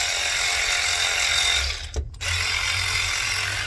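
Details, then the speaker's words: Matco Infinium MCL1238R 12V 3/8 electric ratchet, over 10 years old and previously slow, weak and smoking, after a replacement RS550 motor, on a dead battery: a steady high whir, briefly stopped and restarted, even but soft; normal running. "Alright, before I put everything back together, let's see what this thing does. That's much better."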